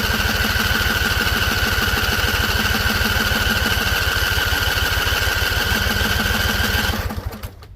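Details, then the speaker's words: Husqvarna Z254 with a swapped engine and carburetor new a couple weeks earlier; spark confirmed. Rapid cranking chug about three per second for seven seconds, never catching; owner suspects flooding. A loose plug end was found afterward. "So it seems like it's flooded because I heard a couple pops. So I think it's going to start."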